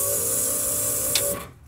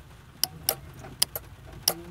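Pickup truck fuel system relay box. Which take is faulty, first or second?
second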